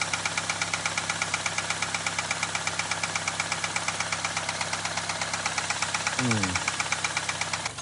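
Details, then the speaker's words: Car warming up after oil change with Lucas and Valvoline additives, ticking began after a starter motor replacement: fast, even light ticking of roughly three per second over the idle, faint and coming and going; suspected lifter tick, unconfirmed. "All right, car is warming up. Still hearing the ticking. Kind of like it wants to go away, but it's still fighting it."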